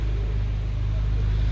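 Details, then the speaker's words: 2012 Mercedes CLS 63, 137k km, steering rack cap open: motor spins with a steady low hum but drives nothing; the toothed belt inside the power steering rack has stripped and come apart. "The motor, it spins. You can hear that the motor is running. The motor is healthy, but the belt that's moving, it's not healthy at all."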